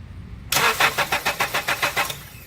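Starter spins the engine in about ten even compression pulses, roughly six a second, and it never catches: cranks but won't start.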